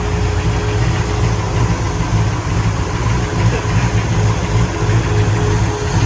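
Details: 1966 Pontiac GTO convertible V8: deep, even rumble holding steady with no miss or sputter; runs cleanly on all cylinders.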